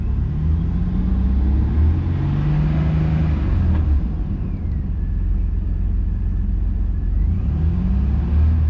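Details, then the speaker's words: 2000 Chevy Blazer after a temporary repair of a leaking exhaust flange joint, started on ramps: deep, even idle exhaust rumble with no puffing, ticking or raspy leak, much quieter; normal quiet exhaust at idle. "That's a lot quieter, and I don't have to worry about that muffler falling off."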